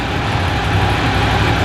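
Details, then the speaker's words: Ducati 750 SS Super Sport, 750cc air and oil cooled V-twin, about 65 hp, just started on choke: even, loping low-pitched idle with steady beat, no knocks or rattles; normal idle. "so the 750ss basically utilizes that Classic Air and oil cooled v twin"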